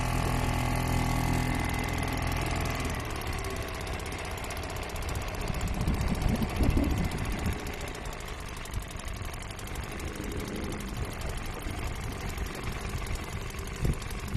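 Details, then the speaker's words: Old Seagull 40 Plus two-stroke outboard, restoration project, first beach test in the water. Uneven beat that surges and sags as if fuel-starved, cutting out; owner suspects blockage in the pipe or little filter, plans to clean them. "Well, she fired up, which is amazing, and had a good run, but it's still cutting out. I reckon there's a blockage in the pipe, so this is probably clogged, or the little filter in here."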